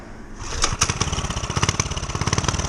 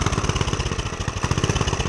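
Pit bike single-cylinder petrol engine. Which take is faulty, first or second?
second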